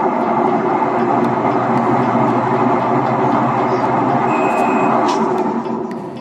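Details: Sharp 8 kg automatic washing machine noisy during rinse and spin: loud steady roar with hard grinding edge through the spin cycle, from a worn gearbox/clutch.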